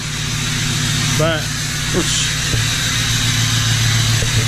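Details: 1977 Ford F250 crew cab with a swapped 6.0L Powerstroke diesel, newly running after the swap; steady low diesel rumble at idle with even firing, no knocks or misses, smokes a little; healthy normal idle.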